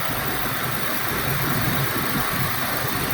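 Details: Big Ford van V8 left sitting all winter with low battery, started with a NOCO Genius GB70 jump pack; smooth, even low rumble with steady beat, no knocks or misses, normal idle.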